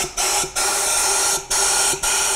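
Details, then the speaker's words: BMW N62, secondary air passages blocked setting check engine code, cleaned with AGA kit using carb cleaner and brush, spark plugs out, blown through with compressed air: strong clean hiss in four bursts, air exiting cylinders and tailpipe; passages now clear. "now you can hear the pass this are clean and air is coming out of the cylinders and you also hear the air passing out to the tail pad of the car"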